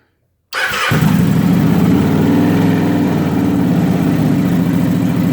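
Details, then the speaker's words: 1996 Kawasaki 750 project motorcycle, cold first start of the morning on choke, shorted rectifier disconnected with battery charger wired in: catches at once and settles into a fast, steady, even choke idle with no misses or knocks. "It hasn't been fired up this morning, so we'll turn it on, make sure the choke is set, give it a little fire up. Choke it a little more, get the revs up."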